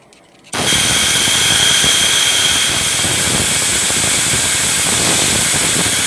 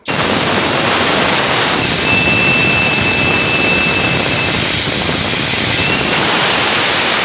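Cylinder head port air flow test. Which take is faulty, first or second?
second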